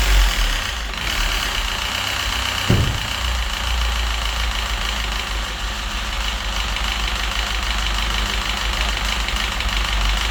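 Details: Citroën DS3 1.6 petrol, apparently run without oil, hunting idle, codes for rich mixture, O2 sensor and cam phasing: rough idle, then a sharp throttle blip with a clattery top-end knock. Suspected wear from oil starvation; head versus crankshaft not confirmed.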